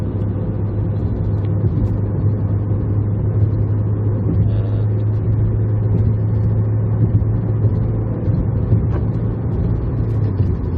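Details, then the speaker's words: 2013 Dodge Dart with P0299 underboost code after temporary fixes (new 1/4 in vacuum line, split intake elbow sealed with RTV and tape), cruising about 50 mph in fourth at 14 psi boost: steady low drone, the earlier throttle-following whistle gone. "also don't hear the whistle anymore so that's good"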